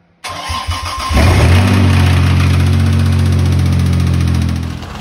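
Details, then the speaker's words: 2007 Toyota FJ Cruiser that also has no reverse: the engine cranks, catches and settles to idle with a steady knock, about three or four per second. This is rod knock. "as you may have heard the engine was knocking and the transmission has no reverse"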